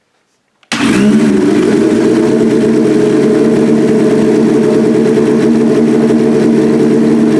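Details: 1989 GS-based Suzuki pro street drag bike engine "Big Jake" on ERC 110 fuel, first start-up while strobing timing on cylinders one and four (Dyna ignition): fires instantly and holds a smooth, even, high-pitched idle with no stumble or knock; timing checks perfect.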